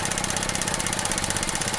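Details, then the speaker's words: 2017 Chevy Trax with P0171 lean, stall and rough idle from a stuck-open purge valve; after unsticking, the valve is commanded on: quick even ticking, about thirteen a second, over a steady idle. Normal purge valve pulsing. "I'm going to command it on. You hear it pulsing now as before it was not."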